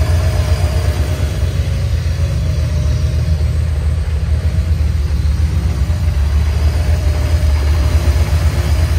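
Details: 1987 Camaro Z28 V8 revived after nearly 30 years parked, running with alternator belt removed and only water pump driven, timing only rough set: low steady even V8 burble, no misses, knocks or lifter tick; good oil pressure, healthy idle.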